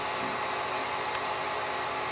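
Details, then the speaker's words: Revere P-90 projector after restoration, running in run position: steady high-pitched whirring hiss with fine fast chatter, even with no knocks or slowing; mechanism now much quieter, the motor making most of the noise; normal running. "so the the mechanism itself is much quieter um it's the motor that's making all the noise now"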